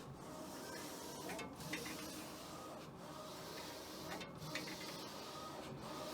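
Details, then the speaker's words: Old wide-format printer, after the wrong paper-type setting that caused a horrible mechanical noise was corrected: a quiet, even swish of the print head sweeping about every 1.5 seconds with no grinding, so normal printing. "I know the print qualities changed when you don't select the right paper but to make that mechanical sound I don't know what the heck causes that but it was horrible and now it's printing again great"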